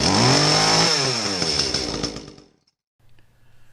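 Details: Echo CS-310 chainsaw at full throttle after cleaning a plugged spark arrestor screen: crisp, clean, unmuffled two-stroke scream, then winds down evenly; normal high-speed running.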